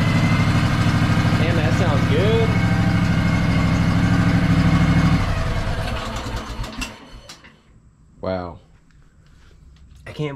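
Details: Craftsman DLT3000 lawn tractor with 16.5 hp twin, had stale fuel, dirty air filter and start trouble, now starting through a piggyback solenoid: runs steady and even at a smooth idle about five seconds, then shuts down cleanly; sounds healthy.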